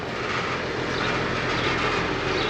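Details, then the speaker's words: HVAC system in a house: steady heavy drone with a low hum that never settles into a normal run; compressor seems to struggle to start, capacitor suspected and about to be checked. "I think it's trying to start"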